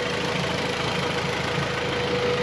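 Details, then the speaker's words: Honda Civic with G23 VTEC swap, warm after TPS recalibration fixed stalling: even idle with steady rushing radiator fan noise, no knocks or hunting; previously dead fan finally kicks in, owner thinks a sensor was faulty. Normal idle with radiator fan running. "The fan kicked in. Woo! Yeah, finally."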